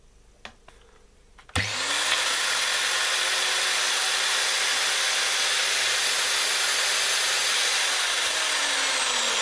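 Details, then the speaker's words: Makita M0921 angle grinder after gearbox bevel gear pair replacement and fresh grease: switches on and spins up to a steady even high whir, no grinding or knocking from the gearbox; running like new. "никаких посторонних шумов работает нормально как новая но только после ремонта"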